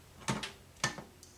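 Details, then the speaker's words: U2000 25-inch arcade monitor chassis on test with a load: two quick pairs of sharp relay clicks as the power supply energizes, then quiet, whine goes away under load; power supply section confirmed good. "You can hear it click on and energize. And you get the noise that it makes goes away when we put a load on it."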